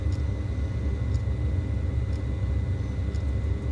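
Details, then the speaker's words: Vaillant boiler after a service, fired up: the fan rumbles steadily with faint ticking, but the burner never lights and it shows fault F28 because the gas supply was off. "F28. Check the gas on. Got no gas."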